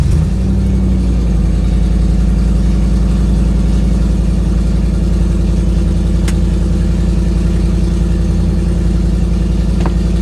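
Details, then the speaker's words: 2008 Ford Mustang GT S197 V8 driving, before the coil-on-plug change: low, lumpy, uneven stumbling beat, a misfire after the dealer reported five bad ignition coils. "I got a report from the dealer when I took it up there, said that it had 5 bad coils, so it had been misfiring. So let's see if we can capture what that sounds like."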